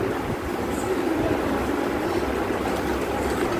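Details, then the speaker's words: Sewing machine after cleaning, adjusting and oiling: steady, even mechanical whir with no knocking, clicking or grinding; running smoothly, normal. "आवाज येतोय दादा नाही हा हे बघा आवाज येतोय का नाही आता तर मस्तपैकी आपली आता मशीन ऑइल झालेली आहे"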